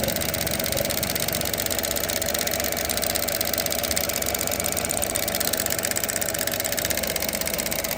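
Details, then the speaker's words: 2018 Chevrolet Trax idling with a fast, fairly even ticking about four clicks a second from a failing EVAP purge valve, heard under the hood; codes P0443 EVAP and a mass airflow code; valve to be replaced. "When a purge valve starts clicking like that back and forth, it's may not be failed completely, but it's failing."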